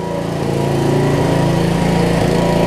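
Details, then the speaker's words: 1981 Snapper rear-engine rider with a broken governor and water in the fuel: the engine screams up to a high rev and stays there, running away. A wet spark plug also made it misfire. "oh it's running away from me yeah that's it so this is just wet on the plug"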